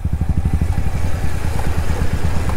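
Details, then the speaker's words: Royal Enfield Hunter 350 riding after off-road mud, chain not cleaned since: fast, uneven low clattering thumps even with the clutch fully pulled in. Rider suspects the chain and plans to lube it and take it to the showroom. Drivetrain clatter, origin unclear. "क्या लगता है chain की आवाज है ठीक है और जब पूरा क्लच दबा रहे हैं तब आवाज आ रही है"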